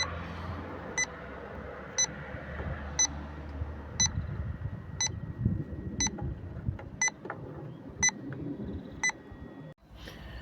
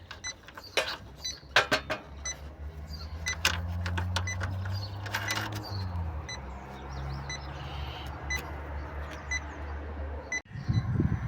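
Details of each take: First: Refrigerant leak detector set to 5 g/year sensitivity, calibrated after 30 seconds, checking heat pump fittings and brazes; short sharp beeps about once a second, steady and even, the normal background rate, no leak. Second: Heat pump, electronic refrigerant leak detector set to 5 g/year sensitivity passed over the opened service valve nut: steady beeping over the unit's hum, indicating a leak there.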